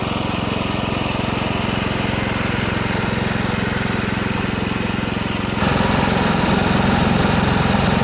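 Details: Old Ditch Witch C99 trencher with Wisconsin single-cylinder engine, first run after sitting; loud, even beat near 220 a minute with raw open exhaust note, no missing. Normal running.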